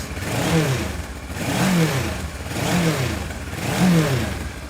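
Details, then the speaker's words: Motorcycle that sat 6 years as a non-runner, first start after recommissioning: rises and falls under throttle blips, firing clean with no misses or clatter; healthy. "the smoke went and it seemed to tick over really well. It sounds amazing actually, the bike."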